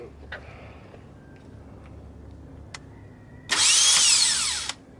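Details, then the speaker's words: 2001 Toyota Sienna replacement starter bench-tested off the engine before install: short, clean high whir about a second, pitch swooping smoothly, no grinding; starter spins normally. "that's also sure it goes yeah it's hitting stuff then there all right it's working"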